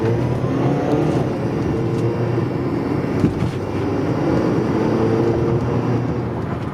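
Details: Cold engine with a buzzy metallic rasp over the rumble after a new turbo install: carbon-fouled wastegate not closing fully lets exhaust through until 3–5 minutes of warm-up, then noise goes away.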